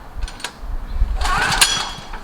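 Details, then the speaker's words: Several-years-old Generac pull-start portable generator, about 36.8 hours, after sitting months on 89 octane with Stabil 360 and a new spark plug, cold and choked: repeated rope-pull whirs, brief cough, won't catch after 18+ pulls; hard starting. "we're back to what I hate most and that's just getting getting the thing to run all you can do is choke it turn it on"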